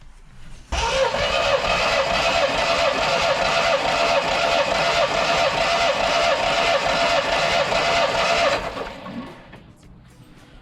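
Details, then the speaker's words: Triumph TR7 engine cranking with all spark plugs removed for a compression test: even, regular beat of a couple of pulses a second, no lazy strokes, music over it; cylinder one read 145 psi, a pass. "So, all we need to do now is crank the engine over and we'll have a look at that gauge and see what it says. So, we'll crank it over now and hopefully this needle will go to at least 125, which is about there."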